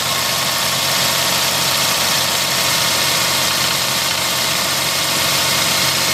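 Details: Mercedes M112 engine, hot idle, driven with the knock for 3 months; dull, steady knock about four per second under the engine noise; piston knock from scored cylinder walls.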